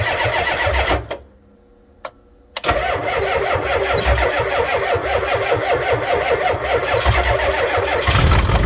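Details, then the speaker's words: Ford F350 7.3 IDI diesel, cold, batteries charged 30 minutes, glow plugs cycled: cranks, fires, dies, then catches into rough clattery idle ready to quit; hard start and stalling, owner suspects about half the glow plugs bad. "Well, we can't say we didn't try. She's obviously got some bad glow plugs."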